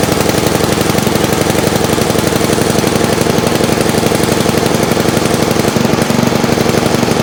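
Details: Old Montgomery Ward Power Kraft single-cylinder engine after carb and Welsh plug cleaning: steady, fairly even thumping beat with no misses or knocks; running normally.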